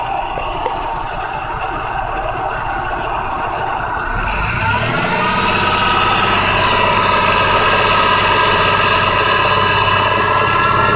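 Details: 2004 Jeep Liberty petrol engine idling, then revved lightly and held, with a steady clacking/knocking noise whenever gas is pressed.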